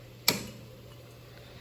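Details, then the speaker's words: Standing-pilot gas furnace training unit: one sharp click then a faint second in a quiet room as the thermostat relay on the fan center relay assembly (with 24V transformer) pulls in on a call for heat; normal relay click. "so the next time you hear that click you're going to know exactly what that click came from it came from the thermostat relay on our fan Center relay assembly"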